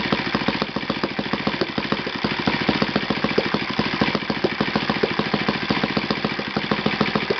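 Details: Yamada (Futaba) YS F 120 four-stroke glow engine on a test stand after a full rebuild (combustion chamber buildup, piston and ring problems), Yamada No. 4 plug: crisp rapid evenly spaced pulses at steady speed, no stumbles; normal running.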